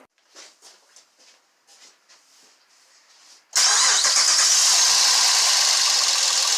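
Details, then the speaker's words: Honda V6 with code P2647 (VCM) and misfire codes, cranking then firing into a harsh, tinny rattle caused by low oil pressure from incorrect oil viscosity and worn engine clearances; the rattle worsens as pressure drops and the check engine light comes on. "the whole pressure drop it'll start rattling even more and the check engine light will come on"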